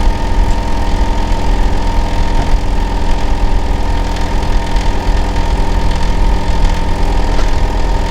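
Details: Neighbour's Hitachi air conditioner outdoor unit running in winter, heard from next door; loud continuous low droning hum with a steady mid-pitched tone, especially loud in summer and winter; cause unknown.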